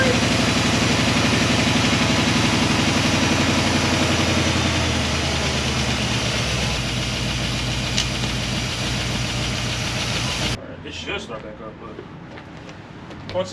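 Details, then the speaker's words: Square-body Chevy V8 idling after a new oil pump was installed; loud, busy idle with a quick steady patter, oil pressure only about five, crank found 10 under with standard bearings. "oil pressure is trash um once again the oil pressure is trash it's like five"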